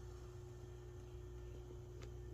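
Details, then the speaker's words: Peavey VB-2 all-valve bass amp with new filter capacitors and EHX 6CA7s, passive effects loop, at full volume: quiet steady low hiss and faint hum, no buzz; normal amplifier hiss after buzz fix. "it's a passive effects Loop now you get that white noise all the way up of course"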